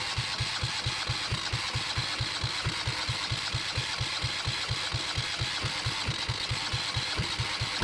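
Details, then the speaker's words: Yanmar 1GM single-cylinder marine diesel in a shop, with cooling water running through to flush the cooling passages after the fuel was bled: steady low thumping at about two beats a second under a hissing wash, running evenly. Normal running. "I just wanted to start it up I got that water going through there I know the lighting sucks um but thank goodness that I've got it running um and it's not bouncing"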